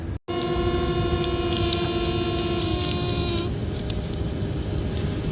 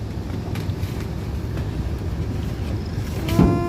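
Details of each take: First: Furnace blower with a brand-new MERV 8 air filter; a steady whistle over the blower cuts out, leaving only an even rush of air: normal airflow after fixing the noise. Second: Furnace blower steady rumble, then thump and thin whistling whine as increased blower-cabinet suction from the air filter pulls air through a small crack at a silicone spot; fix by sealing.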